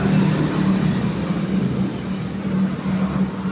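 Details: Mio scooter after a rebore, fitted with an overly aggressive RRA racing cam: good acceleration and top speed, but a rough busy valve-train clatter. Replaced with the standard cam.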